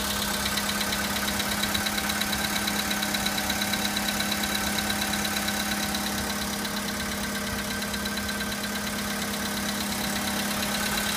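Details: VW Polo sedan with 53,000 km: a steady light knocking, roughly three per second, over a smooth idle; an engine knock from inside the engine, origin unknown.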